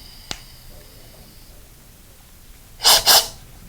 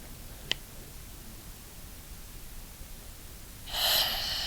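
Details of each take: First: Scuba second-stage regulator on a tank with first stage, working fine: quiet room, one small click, then two short airy breaths with no free-flow hiss. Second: Scuba regulator octopus (safe second) second stage on a tank: sharp click, then steady high free-flow hiss from spring tension set too light; the hiss stops once adjusted with the adjustment tool.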